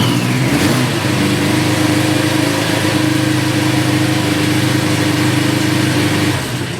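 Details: Honda 400/4 four-cylinder that had dropped to two cylinders and died, running again after its fouled spark plugs were cleaned; smooth even hum, no misfire or stumble, firing cleanly on all four.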